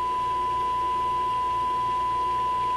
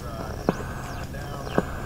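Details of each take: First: Sparton 5 tube radio first powered on restricted power after a change, signal generator into antenna during alignment: clean steady tone around 1 kHz with only faint hum; radio works properly. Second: Restored Sparton 5 tube radio after alignment: soft thump about once a second over steady static; owner believes it is his sleeping computer's power supply refreshing RAM, not confirmed.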